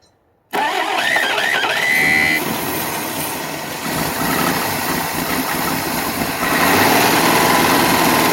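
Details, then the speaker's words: 1961 Studebaker Lark on its first run, with timing being adjusted: it runs ragged and uneven with surging revs, fills the shop with smoke, and shows a ticking noise of unknown cause. "I'd say it ran. And you still fill the shop with smoke."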